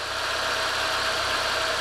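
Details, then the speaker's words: 2015 Renault Logan after a new timing belt, tensioning and new seals replacing leaking ones: steady, even idle with a bright, smooth tone and no ticking or knocks. The microphone makes it sound shriller than it is; engine sounds normal. "E aí e como sozinho ficou beleza a câmera microfone vai captar um sempre mais estridente tá isso é normal"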